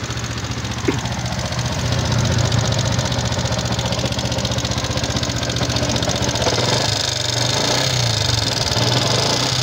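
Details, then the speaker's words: Fuel-injected Yamaha Jupiter MX King idling with a fast, light tick of about three per second plus some rattle. The mechanic's analysis places it in the upper engine, possibly loose valves; teardown is pending. "Analisis saya menunjukkan bahwa letaknya di area mesin bagian atas."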